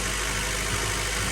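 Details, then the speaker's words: Acura Integra GSR B18C1 just after ACT clutch and lightweight flywheel install, first startup after sitting a while, slow to start; smooth steady petrol idle, no stumble, tick or knock. Clutch sticking to floor, needs adjusting/bleeding. Normal idle. "It took a minute to start because it's been sitting for a while."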